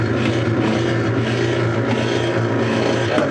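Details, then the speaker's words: Whirlpool direct-drive washer, about 1995, on spin cycle: steady low motor hum spinning freely while the drum does not turn; suspected broken motor coupler. "I have the dial at spin and from what I'm told the water goes out but nothing happens the motor makes noise but nothing happens sounds like a broken motor coupler to me"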